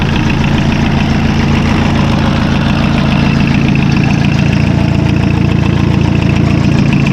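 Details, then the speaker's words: Massey Ferguson Super Pony tractor diesel just reassembled after a spi (oil) seal and timing repair: a steady, even clatter at about three to four beats a second, no misses. The new seal isn't leaking; the rocker cover gasket leaks. Normal idle. "Non bah ça a l'air de marcher. Ça a l'air de fonctionner."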